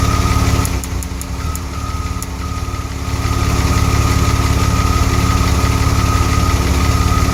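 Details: DeLorean engine idling steadily at about three beats a second, then sagging and stumbling for a couple of seconds before recovering; an occasional misfire appeared during cooling system work, cause not confirmed.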